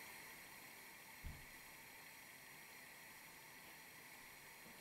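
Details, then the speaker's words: Tilley TL14 pressure lamp (1935–1940), lit and burning after running a couple of hours without problems: soft, steady hiss with no sputter or surging, normal burning. "it's burning nicely now and I had this going for a couple of hours non-stop last night no problems at all you listen carefully it makes a little hissing noise"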